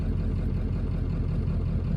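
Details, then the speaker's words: OBS Ford 7.3L diesel truck at early-morning cold idle after installing rebuilt injectors: deep, even rumble with steady low clatter, no misses or hunting, no smoke; the injector job succeeded. "No smoke. So, all in all, I'd say this was a success."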